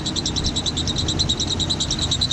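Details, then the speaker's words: 1988 Jeep Comanche Pioneer 4x4, 4.0L inline-six, jump-started after sitting for years: high chirping squeal pulsing about five times a second over a low idle; belt squeak, owner unsure of the source, possibly the AC compressor. "very good old trick that my dad has taught me about is that if you put the comment on there that just takes away the squeaks"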